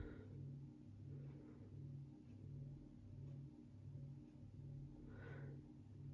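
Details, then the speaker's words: 52-inch Näve GE ceiling fan with shortened down rod, on low speed, a low hum pulsing steadily about eighty times a minute with a soft periodic thrum; cause of the unusual noise unclear. "It's a really interesting noise that this thing is making."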